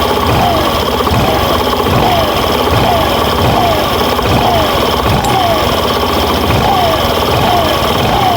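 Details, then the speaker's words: Suzuki Burgman Street scooter after fixing noisy CVT: steady revving with even drone and faint repeating chirp, the earlier sawing noise gone; torque drive bearing was the problem, CVT now quiet and normal. "So tahimik na siya mga boss. Ayan. So unlike kanina na napakaingay."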